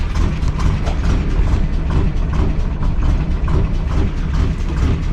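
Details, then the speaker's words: 1953 Willys Jeep CJ-3B started again after the distributor rotor was refitted: slow, slightly uneven chug of about two beats a second on full choke; normal cold idle while warming up, idle not yet adjusted. "chokes on full i don't know how long it'll take to warm up"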